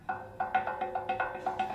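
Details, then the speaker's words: 2004 Honda CR-V 4WD, 160,000 miles, passenger-side lower ball joint with a torn rubber boot: sharp, hollow clicks about every quarter second as the joint is worked back and forth, from almost half a millimeter of play; ball joint being replaced. "there is like almost half millimeter play on that ball joint so i'm replacing that"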